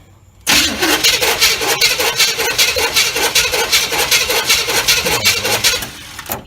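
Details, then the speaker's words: 1986 GMC truck with a swapped-in 400 small block, carburetted, choke on. Quick, even cranking bursts that never catch: no-start because it was out of fuel; it fired right up once refueled. "we was out of fuel that's what our problem was we had to go and get fuel and put fuel in it and she fired right up"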